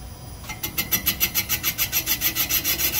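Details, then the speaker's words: 360 Mopar small-block, boring cylinder number 3: steady scraping pulses about three and a half a second as the bar turns, an interrupted cut at the uneven chamfer, cutting one side at top, the other at bottom. "that's that interrupted cut there. That's the unevenness of that chamfer. And you can tell that it's cutting more on one side than the other,"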